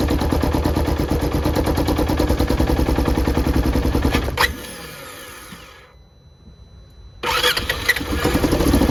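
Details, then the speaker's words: 2015 Polaris Ranger 900 XP; the customer suspected water in the fuel and replaced the fuel pump. It catches and runs rough about four seconds, fades and dies, then cranks again: start then stall from contaminated fuel and a bad injector. "It kind of starts up for a second, then dies, and show you what I found."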